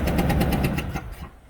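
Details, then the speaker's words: Ford F150, number one plug previously blown out and repaired with a thread sleeve; now sharp rapid puffing ticks over a rough engine, this time from cylinder four. "so i go up i start it up and this is what i get let me get the hood open so now this time it's not cylinder one it's cylinder four not what i fixed already not the same problem different cylinder"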